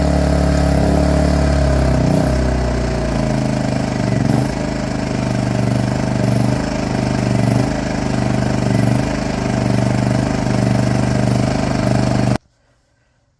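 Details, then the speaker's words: WEN inverter generator in Eco mode after its spark plug was replaced with an NGK: fairly steady idle with a slight periodic waver; much smoother than before the rough idle, owner suspects the carburetor may still need cleaning. "that's a huge Improvement still not exactly right so we might have to clean the carburetor which will be on a separate video if I end up having to do that"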